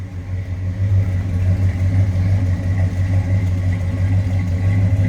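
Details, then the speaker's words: 1966 Ford Fairlane 500 GT convertible, 390 V8 S-code with four-speed manual, heard at the rear; deep even exhaust burble at idle with no misses or knocks; smooth healthy idle. "you can hear a smooth running car slip around to the back so you hear it nice little rumble coming out of that 390."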